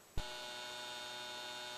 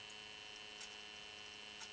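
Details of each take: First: Comgrow filament dryer's stock 40x40x10 12V DC fan before replacement with a slower 24V fan: kicks on to a steady buzzy drone with fixed high whine tones; noisy loud stock fan. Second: Comgrow filament dryer after replacing its noisy 40x40x10 12V DC fan with a 24V fan to run at half speed: very faint steady whir with thin high tone, no rattle; quiet, healthy fan.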